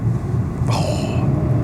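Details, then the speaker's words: Citroen C3, 76,000 miles, sold as non-runner, clutch fully depressed: engine rumble, then a harsh half-second scraping grind on selecting third. Fourth and fifth are fine. The synchromesh seems to have gone on gears 1 and 3. "what a horrible sound. It would seem the synchro mesh has gone on gears 1 and 3."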